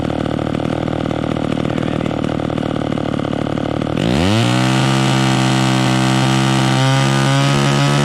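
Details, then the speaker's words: Vintage chainsaw with the high-speed mixture screw turned in: a clean, smooth, steady scream with no burble at top end, which is too lean. It should be backed off until it slightly four-strokes at high revs. "so we turned it in until it was singing super smooth with no blubbering but that's too that's too lean you want to back it off a little bit to where it starts a little bit on the high end because that means that it's right"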